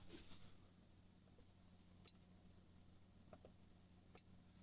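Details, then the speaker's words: SDI and intercom flight case for an ATEM Mini Extreme with tally: faint sharp ticks about a second apart over a low mains hum. This is normal tally relay clicking when switching between cameras one and two. "that is the tele light system saying to the a from the atm that the italian light needs to be needs to change"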